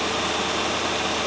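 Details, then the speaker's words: 1997 Land Rover Discovery 1 idling at about 1000 rpm after the no-start fix, smooth even hum with no misses or knocks; a bit rattly at startup, now starts off the key and runs healthy. "still it doesn't sound too bad does it it was a bit rattly at startup but i expect that"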